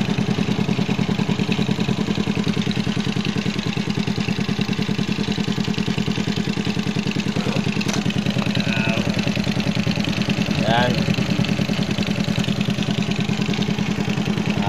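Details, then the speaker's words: Smash 110 motorcycle single with a faulty carburetor, revved with the carburetor hole covered by hand. It revs evenly at a steady beat with no stumbles or missed firings: smooth running. "Kaya ito, pag tinakipan mo ito, ang ganda ng tunog."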